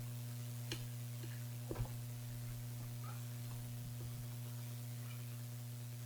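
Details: Mini PC build with Gigabyte RTX 2070 Mini, delidded i7 8086K at 5GHz and HDPLEX 400 power supply: steady low electrical buzz without break, a few faint clicks; possibly coil or supply noise, not confirmed.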